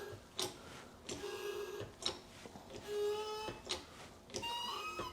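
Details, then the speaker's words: Mercedes 280 SE that wouldn't start, injector on a tester: short buzzy hissing bursts about once a second over low pump hum, crisp and even; nice spray pattern, suspected main no-start cause. "Okay, now it's good. And that's a nice spray pattern."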